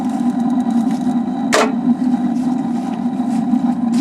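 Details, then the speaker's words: Suburban RV water heater, newly installed to replace a leaking tank, lit on propane after several tries; a click then a steady, low, even roar with no popping or sputter and a blue flame; normal burner operation. "Fire! Okay. Cool. Sounds good. Nice and blue. That's what you want."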